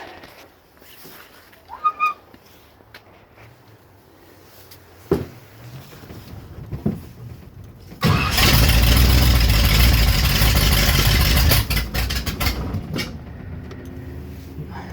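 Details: 1967 Corvette V8 after rebuild: several stumbling cranks, then a brief loud catch sagging to a weak uneven run; hard start and barely running because the new lifters took a while to pump up with oil pressure.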